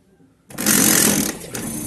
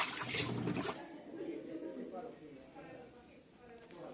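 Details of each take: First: 18-lb Samsung top-load washer starting wash cycle: harsh rattling grind as the clutch lever pawl fails to reach position and scrapes the upper transmission pinion; fixed by clutch calibration. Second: 18-lb Samsung washer in the wash cycle after fixing a strange wash noise by maintaining the transmission gears and calibrating the clutch lever screw: soft water sloshing and a quiet agitator, with no grinding or knocking.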